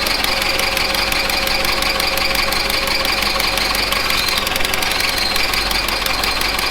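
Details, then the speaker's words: 1970s Bolens QT16 tractor, long unused, with old gas and gravity-fed fuel, running on half choke. The small engine sputters with hunting speed; the carb needs cleaning; rough running. "it's about half choked so that carb needs cleaned out it's not running so great obviously"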